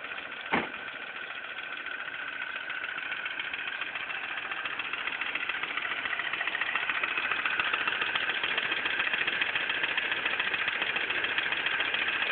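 A light, even tick of about three or four per second sits over a smooth idle and steadies as the engine settles.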